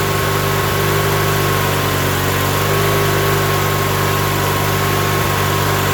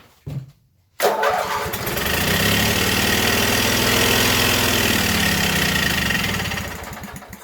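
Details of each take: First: Coleman Powermate 7000 generator, 18 HP twin L-head, 3600 rpm, revived non-runner after carb cleaning and fuel filter, on choke, primed with gas down carb: steady low drone with even beat, no knocks or stumbles; running smoothly. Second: Coleman Powermate 7000 generator, 18 HP twin L-head, 3600 rpm, non-runner with fuel filter fitted and carb hooked back up, on choke with gas poured down carb: brief crank, catches, runs rough a few seconds then dies; owner thinks not yet primed.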